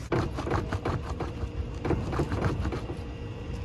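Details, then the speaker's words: F22/F3X steering rack, microphone by the front wheel well as the wheel is worked: irregular dull knocks, several a second. Worn EPS rack thrust bushing, louder with the vehicle off and the steering stiffer; tightening the bolt is a temporary fix. "that's the issue that i'm having like i said it's more prominent for sure when the vehicle is off and the steering is a little bit stiffer"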